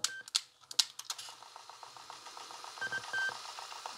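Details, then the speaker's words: Sony WM-EX610 cassette Walkman in rewind cue while playing: quick light ticks and brief chirps from tape passing the head; normal rewind cue noise. "this sound it means is in rewind queue if you don't use the play and the combination of rewind or forward it doesn't make this noise"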